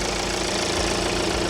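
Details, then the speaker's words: BMW 1 Series diesel, after refuelling from empty and clearing fault codes with a scanner, idling with an even clatter and no hunting, stumbles or misfires; the problem was only running out of fuel. "But it's running completely fine now. Let me put my, yeah, 3,000 RPM, 35 mile an hour. Absolutely nothing wrong with it."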